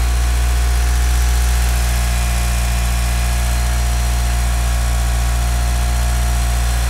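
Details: Mitsubishi Galant VR-4 first start after engine overhaul: deep steady even idle with no lifter tick; normal idle.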